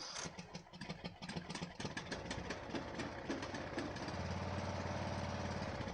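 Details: Neglected Ariens 42" riding mower, 17.5 hp Briggs & Stratton, Nikki carburetor, with fresh fuel, new filter and good fuel flow: ragged, stumbling firing that steadies somewhat. It only runs smoothly at certain throttle positions; owner says carburetor issue, cause unknown.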